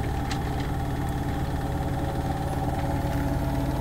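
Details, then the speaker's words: Washer-dryer in 2022 Rockwood 2899KS fifth-wheel RV spinning a nightshirt load at full speed: steady low hum and even drum rush, no thumping, rattling or vibration; normal high-speed spin. "you can see this thing's really cooking at this point you can hear it but again nothing out here crazy no crazy vibration or anything"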